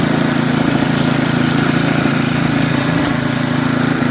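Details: Snapper 8 hp 26-inch snowblower, fully warm, carburetor tuned one and a half turns on high and low speed: a steady, regular chug at fast idle with no hunting or surging; normal idle, old used carburetor running about 90–95 percent.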